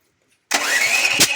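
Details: Duromax propane generator with an intermittent hard start and many backfires. About a second of starter cranking with no catch or firing; it turns over but won't start on propane, with an unburned fuel smell. Cause not confirmed; it usually starts in gasoline mode.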